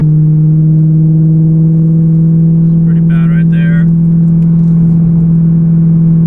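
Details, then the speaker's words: BMW M3 with a muffler-delete exhaust cruising in fifth gear under light load; a heavy, steady low boom fills the cabin, the annoying exhaust drone that Cherry Bomb Extreme mufflers were fitted to reduce. "that's really bad gosh that's annoying so fifth gear"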